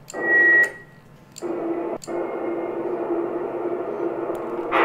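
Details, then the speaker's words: Yaesu FT-2312 1.2 GHz transceiver with noisy transmit and receive, heard on a second receiver: steady hiss whenever it keys up, short clicks at transmit switching; noisy transmit signal, VCO signal problem suspected. "I think that this noise can be heard very clearly, you can tell what is coming from this device. Also obviously the device has a problem"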